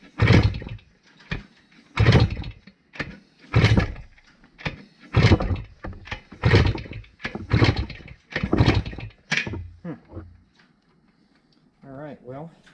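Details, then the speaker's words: 1971 Kawasaki F7 two-stroke, batteryless setup, after swapping coil wires: repeated kick-overs about every 1.5 seconds, never catches; still no spark, cause undetermined. "Well, we are still not getting spark. So, we are going to have to do some backtracking or trying to figure out what's going on with it before we get too far into this bike."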